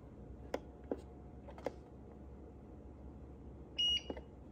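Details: UPS after battery replacement: a few light button clicks, then one short high-pitched beep as the unit switches off; normal signal.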